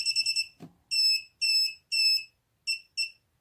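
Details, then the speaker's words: Mobula7 FlySky quad on battery power, arm switch set to middle position with Turnigy Evolution transmitter: quick run of high chirps then evenly spaced short beeps about twice a second; flight controller signalling not armed, some fault. "that's not good if you hear that beeping that means it's not armed"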